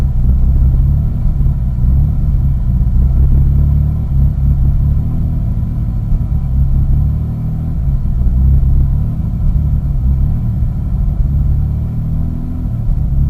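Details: 2001 Mitsubishi Eclipse GT at cold start, deep lumpy idle with uneven pulsing rumble and small surges; rough when cold, idles normally once warmed up, cause unknown.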